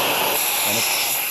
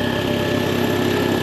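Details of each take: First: Air compressor with the pipe removed: a steady strong hiss of air escaping back through the unloader, mistaken for a bad pressure switch; the check valve isn't seating and needs replacing. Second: Belt-driven air compressor after replacing the faulty check valve: steady even chugging of the pump at constant pace with no hiss or leak from the unloader between strokes; normal running, leak fixed.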